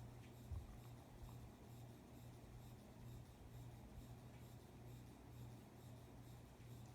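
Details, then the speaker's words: 52-inch Spirit of Saturn knock-off ceiling fan with thin motor housing, newly fitted blade arms: low steady buzzing hum with a faint pulse at medium speed; strange vibration noise, cause unknown. "I don't know why it's making that noise, so it's just a bit strange."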